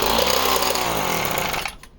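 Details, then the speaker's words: Project chainsaw (Homelite Mini XL or Husqvarna 55/445), cold, decompression valve on: steady high-pitched rasp, soft tone, then cuts off; runs clean and even, normal running. "that's how she sounds and that's with the decompression running"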